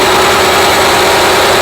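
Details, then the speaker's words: Honda Prelude H22A4 after engine rebuild, spark plug wiring corrected after misfire: steady, even idle with no stumbles, slight vibration but much less than before; normal idle after fix, engine still smoking. "now that's what it's supposed to sound like we got some vibrating but it ain't as bad as it was"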